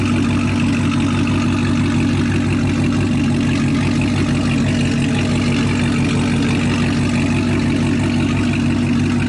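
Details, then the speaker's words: Chevrolet Camaro ZL1 V8 idling smoothly and steadily, no stumble or skipped beats, after replacing a damaged spark plug; running normal again, loud stock cam. "damn there's running normal bro get back finally back oh my God"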